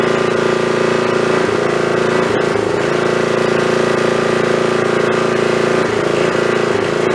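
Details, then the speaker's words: Snapper 3081 riding mower that died while mowing and wouldn't restart, running with a spark plug known good from a snowblower: steady drone with irregular stumbles, misfires and backfires every second or two; owner suspects a failing magneto coil. "uh that sounds to me like that I took that spark plug out of my snowblower and it was running fine tonight last time I ran that so I'm gonna say that probably that coil is going bad that magnetron unit's bad"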